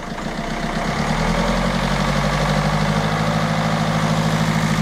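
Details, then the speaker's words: Peugeot 307 diesel after repair: climbs into a steady, even idle with light ordinary clatter, no shake or misses, steady enough to balance a two-euro coin on it; normal idle. "se disent on pourrait mettre une petite pièce de deux euros sur le flanc qu'elle voudrait pas"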